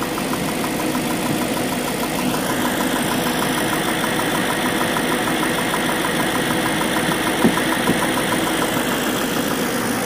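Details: BMW M62B44TU V8 at idle before the chain tensioner was replaced: light, busy metallic rattle over the idle, like a slack timing chain; worn tensioner suspected, later replaced with an aftermarket INA part.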